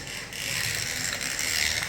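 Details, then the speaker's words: Viper digital slot car running fast on the oval. A high, fast ratcheting chatter like a flapping rubber band rides over the motor whir; it is gear noise, and the owner thinks it may need oil or alignment. "I want you to hear the rubber band sound some kind of gear noise this quick it's driving fast wants to wipe out on that"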